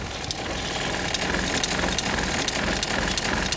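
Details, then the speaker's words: 2023 Airstream Globetrotter RV fresh-water pump at medium faucet flow, before a variable pump controller is fitted: the pump surges on and off with a buzzing rattle about three times a second from the pump area. "medium flow and you can just hear that kicking on and off off and [Music] on and you can hear the rattle that comes from this area where the water pump is which is right down"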